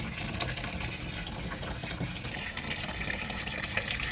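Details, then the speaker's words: Two-tub washing machine modified to automatic with solenoid inlet valve and water-level sensor, mid-fill about 3 minutes left: steady even rushing hiss of water into the tub, no valve buzz or chatter; normal water filling. "sudah di atas tinggal 3 menit lagi sudah di level 26 mendekati jadi ini fungsinya untuk membuka tutup otomatis air ya"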